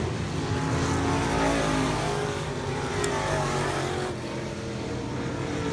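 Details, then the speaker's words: A mod race car's new V8 on track at a test and tune: the note stays low and flat, loaded up so badly it won't accelerate, taking seconds to clear out before it runs; bogging, owner suspects fuel pressure and carb issues. "up so bad it will not it won't accelerate so you can see it's taking seconds before it clears out and actually starts to run"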